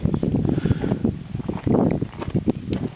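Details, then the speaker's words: 1997 Ford Ranger at idle, misfiring persistently despite new MAF, IAC valve, plugs and wires twice, coil packs and vacuum hoses: a lumpy uneven idle with irregular thuds and dips, the engine stumbling and trying to die. "And as you can tell, it's not idling the way it should be."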